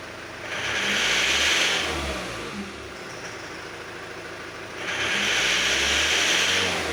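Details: Engine after ignition timing adjustment idles somewhat quieter, but two throttle blips bring a harsh, ringing metallic rattle that eases back at idle; knock on revs remains, cause not pinned down.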